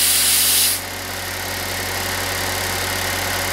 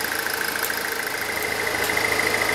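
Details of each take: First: Pontiac Solstice after replacing its noisy A/C compressor: a brief hiss, then a smooth idle under a steady hum from the new compressor, with no grinding or clatter. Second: Pontiac Solstice at idle with defrost on, which engages the A/C: a light, fast metallic rattle rides over the engine once the clutch engages; the A/C compressor is the most likely cause and is then replaced.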